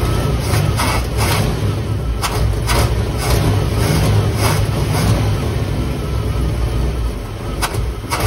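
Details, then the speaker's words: 1958 Chevy Impala 348 V8 just revived after years of sitting: loud, deep, uneven idle with irregular thumps and stumbles. The ignition timing was found way too advanced and pulled back, and dwell is still way off and unadjusted. Rough idle. "all right listen to that thing idol it was way advanced on the timing so i pulled that down"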